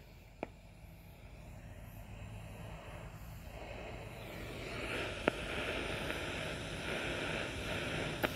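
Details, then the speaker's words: Ultrasonic leak detector played through a speaker, swept over a replaced Mitsubishi coil: soft steady hiss swelling after a few seconds with a few sharp clicks, a really small refrigerant leak at the coil, confirmed by LED. "can hear it's just a hiss I guess gonna call - hiss it's kind of you got to know what you're listening for and and this is a really small one"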